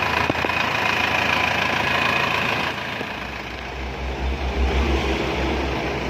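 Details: Isuzu Panther 2.5 diesel after overhaul with new main and conrod bearings, piston rings and liner boring: settles into steady, even idle with soft regular clatter, no knocks or rattles; healthy engine.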